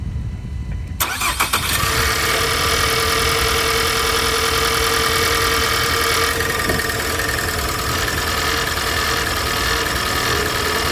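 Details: 2020 Ford Escape after replacing both coolant temperature sensors for code P1299: the engine catches and idles while a loud steady fan rush comes on at once, as it still reads a false over-temperature until the code is cleared.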